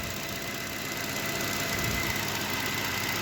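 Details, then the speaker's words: Chevrolet Cobalt 1.5 B15D2, warming up after replacing both belts and two pulleys including the failed tensioner: steady, even, clean idle with light quick patter, no knocking, slight shake, no errors. "двигатель работает чисто Мне нравится есть вот небольшая тряска но машина по 13 года"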